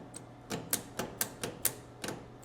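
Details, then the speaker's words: 1961 Cadillac DeVille power seat motor driving speedometer-style cables, operated from door switch: sharp uneven clicks about three per second with crackly snaps, motor arcing and not turning the cables. "but it does not it does nothing to these cables. It's arcing as well."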